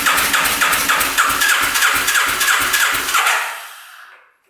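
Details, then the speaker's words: Free 1991 Kawasaki Vulcan 1200cc motorcycle with suspected faulty starter solenoid: steady cranking about three and a half strokes a second with sharp backfire pops, never catches; owner suspects timing off, possible bent valve, no compression on one cylinder. "Well, both jumpers are dead, brand new battery dead. This thing will not fire up. I've tried pouring gas directly down the cylinder, directly down the carb. All it does is backfire."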